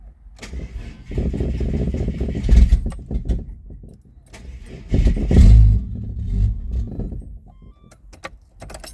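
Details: Turbo Ford AU Falcon ute that won't stay running on a purchased flash tune file, after injector flow rate in the tune was roughly doubled: catches with a low rumble, surges briefly when revved, then sags and dies twice.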